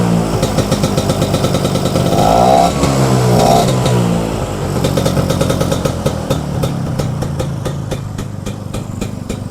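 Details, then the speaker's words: Vespa two-stroke scooter that was bogging on the road, after cleaning the blocked jet and opening the fuel tap: brief throttle blips, then a steady, even idle; engine now runs stable. "Oke, Teman-teman. Mantap. Ini udah stabil ya."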